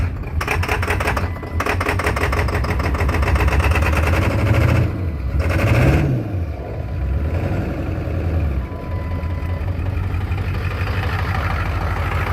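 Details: 2003 Ford F350 7.3 Powerstroke diesel, lopey uneven idle surging every few seconds, hard/no start, shaking under power until warm; buzz test showed only 3 of 8 injectors healthy; corroded injector driver module (IDM) was the cause.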